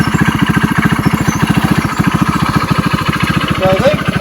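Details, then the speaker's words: GY6 go-kart four-stroke on premium fuel after a rebuild, which used to take about an hour to start. Quick, even firing pulses at a steady idle with no misses, knocks or rattles; running healthy. "it works amazing love it it actually starts now before it used to take about an hour to get it to go now"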